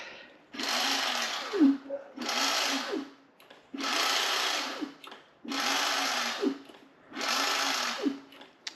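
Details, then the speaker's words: H-1 Pro Series (Hover-1) Ace R450 electric scooter: lifted rear drive wheel spins with five whooshing bursts, hissy scrape over low whir; owner suspects brake disc off center, brake needs adjusting, unconfirmed. "Yeah, once we hit 15 miles an hour, it's making some weird noise."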